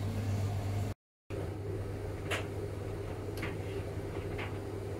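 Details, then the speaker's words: Hotpoint/Indesit-type tumble dryer running quietly after teardrop bearing replacement fixed squeaking; steady low hum, smooth even drum rumble, no squeak or screech, normal. "if she is running nice and quiet that's the way you want it"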